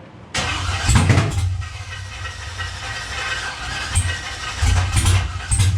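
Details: LS engine in a truck, sticky fuel system being cleaned out and bad gas suspected: engine catches then surges unevenly with lumpy bursts, rough running, perhaps from poor fuel mixture.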